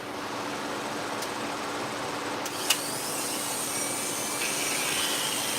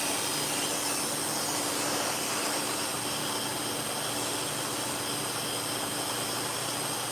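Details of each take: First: Dog-grooming clipper blade: steady high buzz with harsh rattly hiss, very noisy; noisy clipper blade. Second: Freshly sharpened, cleaned and reassembled dog-grooming clipper blade run in to set the two blades together. Smooth, even high buzz with no rattle or chatter over steady shop-fan hiss; runs clean and quiet, normal.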